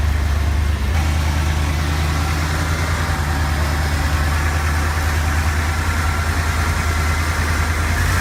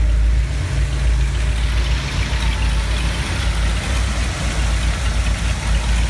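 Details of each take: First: 1970 Ford F250 V8 with a high idle and stalling at stops, running after carburetor cleaning and priming: steady even rumble held at a fast idle; corroded distributor cap terminals found to be the cause. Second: 1970 Ford F250 V8, slightly warm, after scraping and sanding corroded terminals that caused a high idle and stalling: deep, steady, even idle with no misses or rattles; normal after repair.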